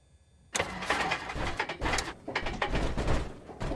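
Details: Cessna 172 engine start: crank with uneven, stumbling bursts and sharp backfire pops, never settling to steady run; hard start with backfiring, cause unknown.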